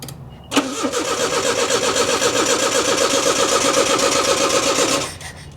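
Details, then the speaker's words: 1985 Nissan 4x4 pickup that sat for years, first start on brake cleaner sprayed in: catches on first crank, runs rough and uneven about four seconds, then dies. Owner suspects fuel pump not getting power, a dud pump or a fuse. Runs only on starting fluid. "I wonder if the that fuel pump ain't getting power if it's just a dud or what or if the fuse maybe."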